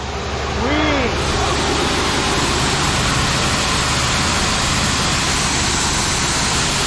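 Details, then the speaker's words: Old Sullair 185 gas compressor running on its own with no extra tank, wires joined by hand; loud, even roar at constant speed with no stumble, surge or miss. "that's nice what do you guys think you think I got a good deal"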